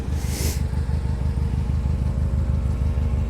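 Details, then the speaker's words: Mercedes-Benz C230 Kompressor W202 running with uneven, stumbling pulse about three beats a second; cylinder 4 misfire because the loose spark plug boot lets the spark arc to the engine block. "that is the spark plug cord zapping off the engine block so cylinder four is grounding out on the block right now"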